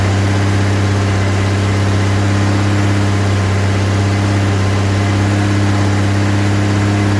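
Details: Rebuilt 230 six-cylinder on first start, cam break-in at fast idle about 2000 rpm, 40 psi oil pressure, 180° temp, timing advanced to about 10° initial; deep steady hum, no valve-train ticking, no smoke; runs smooth.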